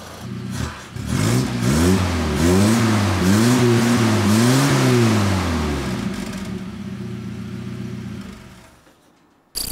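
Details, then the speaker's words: Toyota RA28 Celica fastback, just fitted with a new exhaust replacing the earlier half pipe, heard from the rear: a clean, deep note that rises and falls smoothly with several throttle blips, with no rasp or leak ticking. Normal exhaust note. "this is what it sounds like with a new exhaust let's hear it from the back"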